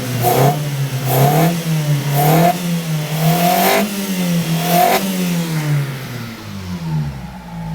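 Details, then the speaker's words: 1995 Mitsubishi Libero, 4G15 engine, waste-spark ignition, loss of power suspected from a faulty distributor with weak spark: quick throttle blips about once a second rev cleanly and drop back, no misfire or stumble; much better than before. "so it definitely sound much better than before right"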